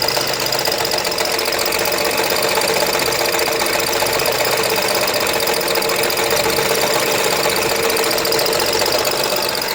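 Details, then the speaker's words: Acura/Honda at idle: harsh, continuous metallic grinding and rattle from low on the engine, sparks seen at times, bad enough to stall the car; the AC compressor is seizing, not the engine. "It was darker where we were at, and that AC compressor is about to cease. That AC compressor is trying to lock up, and there's every now and then you can see sparks flying out."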